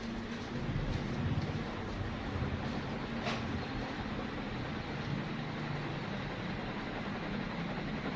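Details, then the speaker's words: Newly installed Sanex FC56 ceiling fan running at speed 1 and then speed 2. A steady, even whoosh of air with a soft hum and no ticking, wobble or rubbing; normal. "Nah, sekarang kita coba nyalain kipasnya yuk. Nah, nyala ya. Ini di speed 1. Ini speed 2-nya."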